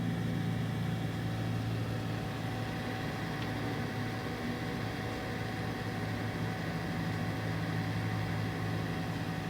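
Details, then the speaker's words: Fluke 199C Scopemeter cooling fan after replacement and servicing (before, it made a rubbing, bumping, ticking sound), run from a bench power supply: only a soft steady air whir with a faint constant tone, no vibration or ticking; fan quiet. "probably hear just kind of a worring sound from the air but all that vibration and other noises are completely taken care of"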